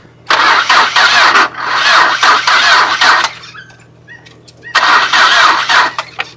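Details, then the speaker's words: Car on a camping trip, morning start: three long bursts of slow, labouring cranking with pauses and no catch; owner suspects low battery and flooding with too much petrol, later jump-started. "ian's got a bit of a problem it looks like his battery's a bit low on on power there step off the tissues there just a bit hard starting this morning yes"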